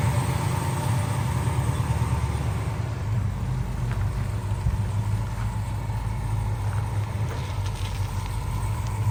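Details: 1968 Dodge Charger V8 after the leaking clamped X-pipe exhaust was welded up at the collector and joints: even, deep idle burble, quieter in cabin, all exhaust exiting the tailpipe; no puffing or ticking, sealed healthy exhaust.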